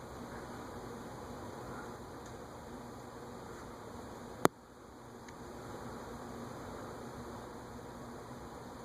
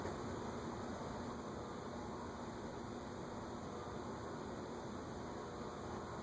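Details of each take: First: Vintage unmarked top-mount ceiling fan, possibly Aircool-made: quiet, even whir coasting down with no grinding or ticking; long solid spin-down showing healthy bearings. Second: Unknown top-mount ceiling fan on a solid-state speed control, turned up to about 0.32 A draw: steady low hum with growing electrical buzz under fan noise; motor not rated for solid-state control.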